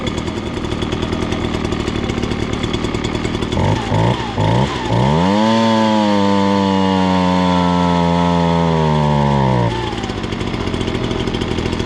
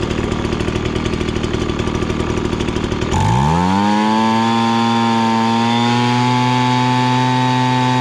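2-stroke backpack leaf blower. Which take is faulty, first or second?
first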